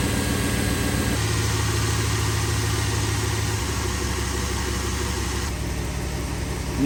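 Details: Jeep WJ engine idling after greasing sealed bearings on the accessory drive that had chirped: steady even hum, no chirp or squeal from the belt side; normal running.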